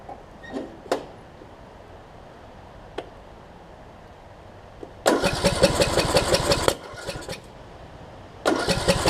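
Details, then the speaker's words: John Deere D110 mower after a rebuild following a detached flywheel magnet: brief cranking bursts with irregular firing kicks that die, and kickback. The owner suspects ignition timing is off from a sheared flywheel key. "i was doing some weird stuff and i don't know what it is doing with uh kicking back and whatnot it's like it wants to run but it won't weird try one more time here hmm that's doing some weird stuff ain't it it's almost like the timings off which it could be if it sheared that flywheel key"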